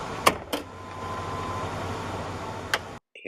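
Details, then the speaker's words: Trunk pulldown latch: two quick clicks, soft motor whir, then a lone click two seconds late as the little switch lever sticks; latch opens fully, lever to be lubricated. "I mean, there's delay in that little lever on the switch popping open."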